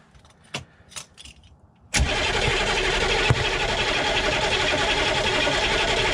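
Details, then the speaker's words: Humvee diesel after valve cover gasket and fuel line work, cranked with the injector lines finger-loose to purge air, no fuel coming out yet: a few faint clicks, then a steady fast crank with no firing; air-bound, not starting. "well nothing is coming out no fuel coming out at least not yet"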